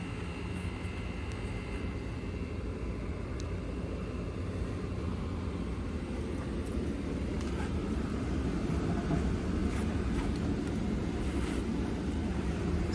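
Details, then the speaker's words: Gas furnace (S9V2) indoor blower just replaced after a no-cooling call with no indoor blower; blower starts after a thermostat delay, a low even rumble of air ramping up smoothly, no scraping or ticking; runs normally. "anytime now there it comes here comes the blower pick it on up pick it on up there she goes"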